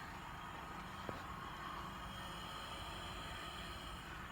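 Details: Coleman liquid-fuel lantern burning on full power inside a travel trailer: quiet, steady hiss and even roar with no sputter or surging, so it burns cleanly.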